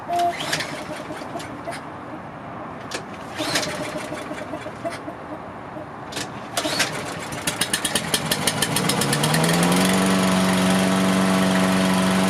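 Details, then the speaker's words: Toro Recycler AWD mower, Briggs & Stratton engine, just started after carb cleaning: fires after clatter, idles slow and soft, then climbs and steadies; idle set too low. "I always feel like these mowers come with an idle that's too low, so I'm going to turn that up."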